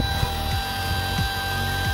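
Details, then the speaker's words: 12V 1A high-speed fan powered by three 18650 cells on TP4056 charger modules, voltage sagging from about 10V to 8V: steady high whine over even hum, no surging or rubbing; spins very fast, loud but normal. "cepatnya ini putarannya sangat kencang sekali namun Suaranya berisik a di Indonesia"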